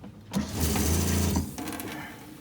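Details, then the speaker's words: Boat water pressure pump just rewired with proper connectors: short even motor hum with steady low buzz, starts cleanly and runs smoothly; normal pump operation. "So I wired the pump. Let's see if it works. Ah, nice sound."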